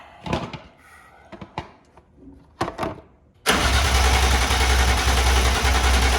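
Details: BMW E36 with swapped S54 engine, first start attempt with fuel pump and fuse in; after clicks, starter spins engine steadily about three seconds but it never catches, no power to the throttle bodies; crank no start.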